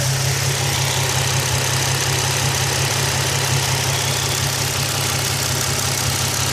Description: Fast ticking noise coming from the top of the engine, Increases/decreases with engine revs, any ideas what it could be?